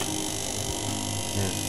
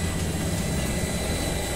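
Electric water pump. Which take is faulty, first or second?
first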